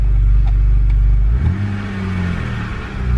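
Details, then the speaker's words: BMW N52 engine, warm, after a throttle blip: deep idle rumble climbs and wavers with no throttle input, revs hunting; later traced to faulty mass airflow sensor. "see if the revs see a lot that's hunting now i'm not even doing anything"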